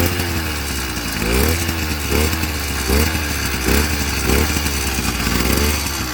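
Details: Amazon 100cc two-stroke motorized bicycle kit, freshly built, after about 40 start attempts: keeps surging in blips about every second, never settling into steady idle; poor idle.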